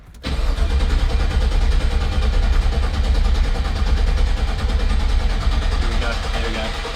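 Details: LS-swapped Holden HQ (LSQ) first ever start with no exhaust fitted, oil pressure primed: fires almost instantly into loud steady deep rumble, no misses or knocks; healthy normal idle.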